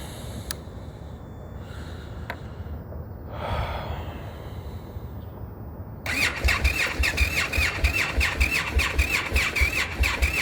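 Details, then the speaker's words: Indian FTR motorcycle at 36–40°F, a recurring cold-start problem the dealer has tried to fix before. Quiet start, then after six seconds the engine catches with uneven pulsing and a high squeal, struggling to settle: hard cold start. "all right so we're gonna record a 40 degrees 36 degree temperature another good cold test start for the indian"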